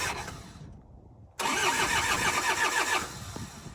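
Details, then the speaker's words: Cold diesel tractor that ran out of fuel, being bled after refuelling, glow plugs used: steady starter cranking at about three and a half turns a second with no firing. Fuel is just welling up at the injectors; air is still in the fuel system. "fuel's starting to kind of well up around the [Laughter] injectors oh so close oh so close"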